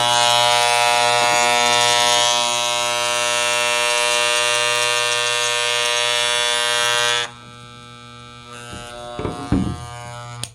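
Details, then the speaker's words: Hair clippers dropped on the floor: loud high buzz drops to quieter, smoother hum as the motor adjustment screw is turned with a Phillips screwdriver; misadjusted clipper motor brought back into adjustment. "That's not supposed to be the way it sounds. It's way louder than it needs to be, so something's off with the motor."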